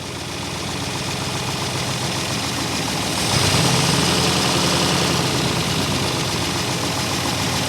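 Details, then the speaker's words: 1964 Buick Electra, sat 25+ years and freshly unseized. Lumpy idle stumbling about four times a second, with a small rise midway that stays rough; a miss that the choke doesn't fix. Idle circuit probably partly plugged (suspected). Water pump disconnected. "It's definitely got a miss. Let's see if it'll run a little better with the choke on. No, it doesn't really. Idle circuit's probably plugged up a little."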